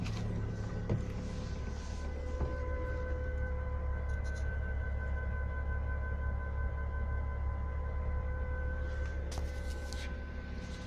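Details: Audi A6 C4 with a new fuel pump that lasted only two days: a steady high whine at several fixed pitches over a quiet low hum during a failed start attempt, the fuel pump whining.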